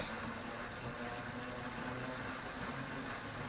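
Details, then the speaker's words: Drivetrain gear test: quiet in first direct-drive, ticking then angry hornet-like buzzing in second and third, worsening and continuing in higher gears under road noise; not tire rubbing, cause not found. "go to second can you hear a ticking party now 2/3 gets worse the buzzing like that an angry hornets nest"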